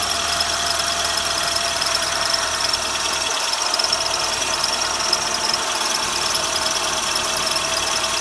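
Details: Renault Sandero, 55,000 km, cold start: high, thin steady squeal over hissy idle for 10-20 seconds; slipping alternator belt, squeal gone after belt replaced at 65,000 km.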